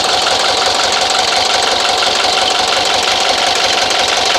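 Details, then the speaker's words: 1983 Mercedes 240D diesel after fitting new injector and heat shield, line left loose: steady even starter cranking about three beats a second without catching while air bleeds from the injector line. "I've got the line on, but I have this loose because it's got to pump the air out of here, and I'm going to go ahead and crank it, and there should be some fuel coming out of here."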